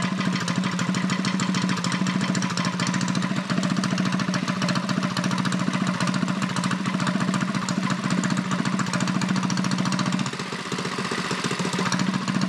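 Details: Custom Motovox minibike, Briggs 206 engine with new flat-top piston and rings, same cam and rod, idle turned up after choke start: small single thumping at fast steady idle, no knocks, rattles or stumbles; normal idle.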